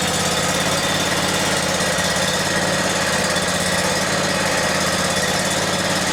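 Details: Briggs & Stratton Vanguard 37hp big-block EFI engine, which surged before, after fuel pump pressure testing (39 psi target) and bleeding air from the fuel line: loud, steady, even note with no surging; normal running.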